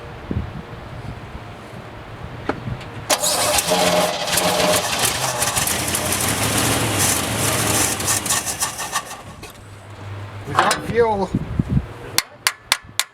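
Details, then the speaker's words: 1967 Chevy one-ton pickup run on an auxiliary fuel tank: cranks, catches and runs ragged for several seconds, then sputters and dies; carburetor flooding. "well she uh runs half F there she's flooding she flooding she probably won't start now but let's start it and let's run the fuel out"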